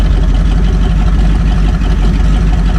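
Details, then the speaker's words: 1969 Buick Riviera big block, with no exhaust fitted: loud, deep, open rumble at idle with lumpy burble, engine itself sounding healthy; normal idle, no exhaust. "Sounds good. Needs some exhaust."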